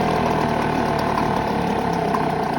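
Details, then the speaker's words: Parsun 5.8HP two-stroke small outboard just after starting, warming up: even, buzzy idle holding steady revs, nearly stalling so given a touch of throttle to keep it going; normal idle. "See how it's almost going to plonk out? So just give it a bit of a touch and keep it going."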